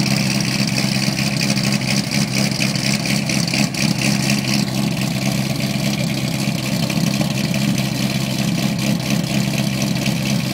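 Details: 2008 cammed LS3 Corvette coupe, LG street series headers, high-flow cats, NPP dual-mode exhaust, cold start after exhaust leak fixed: lumpy choppy cam idle, exhaust goes from loud to quiet mode, no leak ticking; normal.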